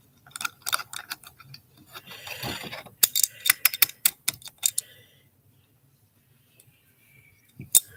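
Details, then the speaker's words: Invicta Objet d'Art watch movement on the service bench gives fine rapid ratcheting and gritty scraping bursts while winding, an audible grind pointing to a mechanism fault; cause unconfirmed. "You can hear it grinding."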